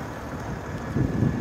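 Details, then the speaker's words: 2013 Mercedes-Benz S350 CDI long-wheelbase V6 diesel idling, heard from outside the car: an even, soft tick-over with a steady low rumble, some wind noise, and it sounds healthy. "let's get out and you can hear that lovely V6 ticking over"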